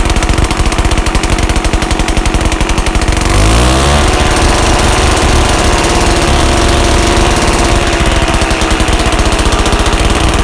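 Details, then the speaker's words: 1981 Yamaha G1 A2 golf cart small two-stroke running with muffler removed during rebuild: loud raw open-exhaust putter, rough uneven beat with a brief rev; something sounds off, owner wonders whether some of the noise was back pressure, cause unclear. "maybe you can tell by that if uh you know some of that noise was back pressure or something i've read"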